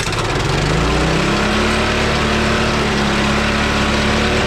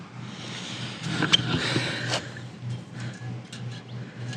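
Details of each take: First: Honda trencher single-cylinder after new spark plug and oil top-off: catches on choke and settles into a steady, even putter, cutting off around nine seconds; runs fine, though smoking a bit. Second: Honda engine on a trencher holds a steady fast idle after starting and won't drop to slow idle; cause found: throttle return spring missing from the carburetor linkage.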